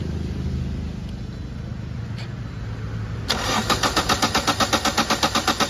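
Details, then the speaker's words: Toyota Etios diesel misfuelled with petrol, drained, with a new diesel filter assembly: long crank with about four even starter strokes a second and no firing. Injector return pipes removed to check back leakage as the cause. "গাড়ি প্রচুর round নিচ্ছে, start হচ্ছে না, sorry round নিয়ে প্রচুর round নিচ্ছে, স্টার্টই হচ্ছে, সেটা আপনাদেরকে দেখাচ্ছি।"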